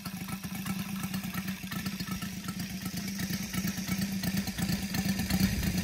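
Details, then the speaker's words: Brand-new Saito FG-73 five-cylinder radial, fully upgraded with Morris Mini Motors hardware and exhaust ring, on a Biela 20x10 four-blade prop (600–5500 rpm): crisp, even firing pulses picking up smoothly as throttle opens, no misses or knocks; normal, healthy running. "okay as you can see uh engine starts lovely and very easily as well um exhausts really finish it off"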